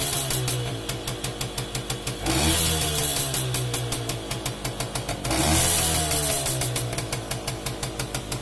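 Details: Romet 2375 (Komar) two-stroke, non-original replacement carb with air screw at 1.5 turns out: buzzy idle with two quick throttle blips, revs climb and drop cleanly without stumbling; mixture sounds right.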